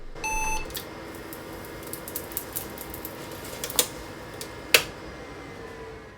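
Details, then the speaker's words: IBM 5162 (XT 286) power supply, heard from the rear of the PC during CMOS setup: a short beep, faint hum, scattered ticks and two sharp cracks as an X2 RIFA filter capacitor fails. "And you'll notice that there's this big puff of smoke coming out of the power supply unit."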